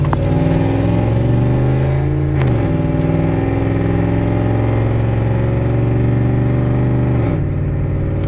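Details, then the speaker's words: Dodge Dakota pickup with straight-pipe exhaust under way: deep, loud exhaust drone with pitch steps at gear changes; not overheating, shifting right; loudness attributed to straight pipe. "so yeah the straight pipe that whatever the exhaust you just put a straight pipe yeah so i guess that's what it is it's loud"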